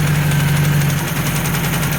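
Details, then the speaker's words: Ford Escort Mk3 GLE, cheap purchase, idle set high: petrol engine idles with low uneven drone and faint hiss, rough and unsteady; owner suspects many vacuum leaks, possibly a rocker or lifter, timing possibly out. "But I'll look into that cuz this engine sounds horrible. And you can hear it's got a lot of vacuum leaks everywhere."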